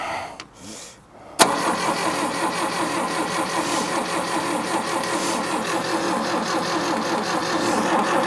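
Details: Daihatsu F20 4x4 carbureted engine being started for first time in years, fuel added to carburetor bowls, possibly flooded; sharp catch then long uneven cranking without starting; spark on all four cylinders, plugs suspected dirty: cranking, no start.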